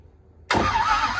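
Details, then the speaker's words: Volvo carbureted race engine started wide open, bursts into life and runs uneven, breaking up and really flooded; float level being checked, smaller jets suspected needed: flooded engine hard start. "Breaking up a little bit. Runs good. Yeah, baby. That's really flooded, Jordan."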